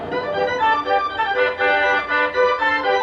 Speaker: It should sound like this. It should sound just [ __ ] clear and concise.